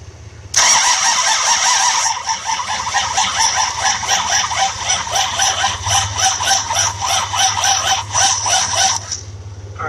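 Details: 1966 Buick Riviera GS 425 Nailhead with HEI distributor: starter drags engine slowly and unevenly, about four turns a second, never catches; spark present but inconsistent, slow cranking suspected as part of the no-start.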